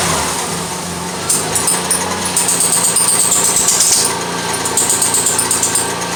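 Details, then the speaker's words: 1992 Lexus ES300, front squeak when the steering wheel is turned: high, thin chirping squeal coming and going over the idling engine as the wheel turns; power steering belt squeal. "every time they turn the wheel they turn the steering wheel they hear a clicking like a squeaking noise"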